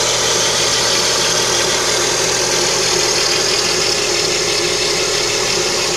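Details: Lada Kalina with the 11194 engine at idle: a steady, thin, high whistle over an even idle, unchanging. Timing belt drive suspected, not confirmed.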